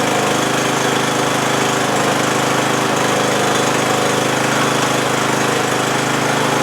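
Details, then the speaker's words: 20-year-old Bolens lawn tractor, Briggs & Stratton Intek 15.5 hp, after no-start fixed by cleaning connections key switch to fuse holder, solenoid and battery, plus new starter solenoid: starts and runs steadily, even rapid beat, no misses. "And uh yeah, now every time you turn the key it does what it's supposed to do."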